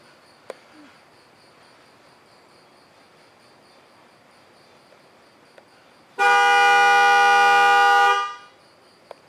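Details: 2013 Chevy Volt, horn commanded via Delphi scan tool bidirectional control: steady, strong horn tone for about two seconds, stopping cleanly; horn circuit works.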